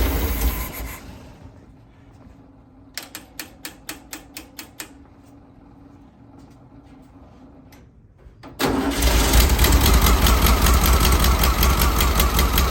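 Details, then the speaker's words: 1964 VW Beetle, static timed, with a temporary electric fuel pump bypassing the old pump: a few cranking chugs, then it fires and holds a steady, even idle; normal idle. "all right after 10 days we have it running here it sounds pretty darn good"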